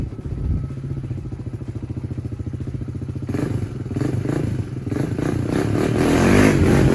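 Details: 1996 Honda TRX300EX quad warming up after repair of no-drive-when-clutch-released fault, chain back on; crisp even single-cylinder idle pulling cleanly through the revs with no knock or clatter.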